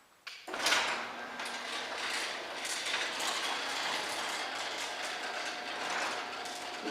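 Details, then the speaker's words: Newly installed garage door and opener: soft, even hum and faint rumble as the door moves, no grinding or scraping, much quieter than the old door that ground in its rails. "it's just that quite you don't even hear it anymore"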